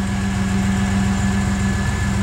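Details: Vehicle after repairs including a fixed ground strap that stopped the temperature sender grounding out: steady, even idle with smooth low hum, no knocks or misses; running normally.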